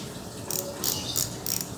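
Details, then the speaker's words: Bicycle freewheel/sprocket that sounded rough and wobbled, reassembled after swapping the 0.1 shim ring (too tight) back to the 0.2 ring: quick crisp even pawl ticking as the wheel coasts, light with no play or rattle; freewheel healthy. "Oke ring sudah kita tukar dan kita pasang kembali Nah ini bagus teman-teman"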